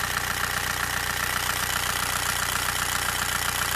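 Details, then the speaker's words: Old 90/110 hp VW TDI with rotary injection pump, cold engine in rain, after adjusting pump setting from overly rich 0 mg reading to 2 mg: even diesel clatter about 2.5 beats per second, steady idle without misses; pump still somewhat weak. "jesteśmy chodzi ładnie dawka widzicie 2 mg gazu pięknie gasimy jak pali fajnie"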